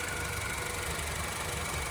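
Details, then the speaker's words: 2013 Honda Civic, about 136,000 miles, idling after the PCV valve was cleaned: smooth, even idle with a soft steady hum and no stumble or miss; owner thinks it runs smoother now. "I think this engine actually works smoother now after the PCV was cleaned. Very nice. Maybe I'm over exaggerating, I don't know, but it does sound good."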